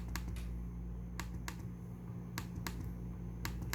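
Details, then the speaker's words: ASUS ZenBook S13 UX392FN touchpad, pressing the button normally: crisp isolated clicks in small pairs over quiet room hum; normal touchpad button click. "这是正常的按钮声。"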